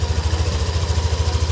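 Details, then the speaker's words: Yamaha Aerox V2 scooter after inspection and valve adjustment, no parts replaced, radiator cover off: even, steady low thump at idle with regular firing pulses, no ticking or clatter; normal healthy engine sound. "So kung rinig niyo yan na yung normal na normal na tunog ng makina."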